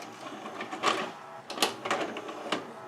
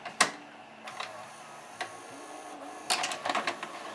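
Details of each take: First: 1992 Admiral (Sharp) mono VCR that spits tapes back out: short whirring bursts, clicks and motor grinding as the loader tries and stalls repeatedly; suspected glazed, slipping loading belt. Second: 1992 Admiral (Sharp-made) mono VHS VCR after cleaning and de-glazing loading belts and pulleys and repairing capstan motor pulley: a few sharp clicks and short motor whirr as the mechanism cycles and door opens, no grinding or stalling; normal eject.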